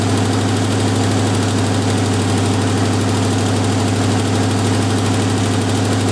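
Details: Jeep M715 army truck, fuel injection removed, old cold start; steady, even idle with a low, smooth pulse, no misses or surging, running cleanly; normal idle.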